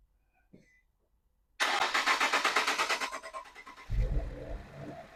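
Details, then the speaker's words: 2018 Infiniti Q50 first start after timing chain, guides, tensioners and sprocket replacement and oil top-up: brisk two-second crank, clean catch, smooth idle with no chain rattle; previously loud chain noise appeared when revved. "All right, that is amazing. Alhamdulillah. Sounds great. Actually, there's no more noise."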